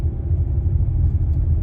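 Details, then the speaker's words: 2023 Chrysler Pacifica front end, knocking on acceleration and left turns at low speed: low uneven thumping under road rumble; suspected loose axle nut or inner CV joint, confirmed by gap between axle and hub, axle nut loose. "that's not the road guys that's that's an that's an axle nut that's loose or an inner CV joint"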